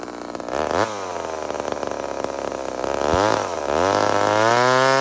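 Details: Homelite chainsaw, 28 full-house stock chain, cutting wood: strong clean two-stroke scream dipping under load in the cut and climbing back smoothly; healthy saw running and cutting.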